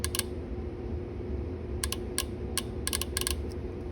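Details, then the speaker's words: 2001 Mustang AC relay being tested after A/C worked only below 80 degrees: sharp irregular clicks over a quiet hum as the relay switches cleanly; contacts still suspected of poor connection. "So the relay does appear to be working, at least I can hear the click."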